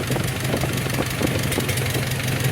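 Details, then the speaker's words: 1944 Ford 2N tractor idling in neutral on choke after an over-long oil pressure regulator was fixed: low, fairly even putter with rattly clatter on top. Oil pressure is right and no oil leaks, so the idle is normal. "Look at that, we're running right where we should on the oil pressure. Are we spewing oil out? Doesn't look like it."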